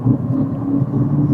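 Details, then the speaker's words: 2017 Toyota Prius at 40–45 mph, mic in the rear seat area: a constant low roaring hum from the rear that changes when swerving side to side, pointing to a worn rear wheel bearing, still to be verified on a lift. "Oh yeah, I can definitely hear that. I don't know if it's picking it up in the audio, but it changes going side to side."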